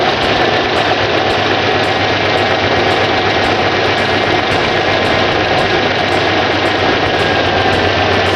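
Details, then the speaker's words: Dodge, 190,000 km, losing antifreeze into cylinders and out the tailpipe, before K-Seal takes effect: loose, uneven rough idle under a loud hissy exhaust; head gasket leak suspected per computer, unconfirmed. "it's running rough needless to say we believe it's a head gasket week that's what the computer said"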